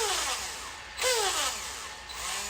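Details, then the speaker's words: Traxxas X-Maxx motor after front bearing replaced and greased, reinstalled with three screws: clean whine sweeping smoothly with throttle, no gritty grinding; the earlier bearing grinding is gone. "so three screws are back in i'm gonna go ahead and power it up and see if anything changed much better"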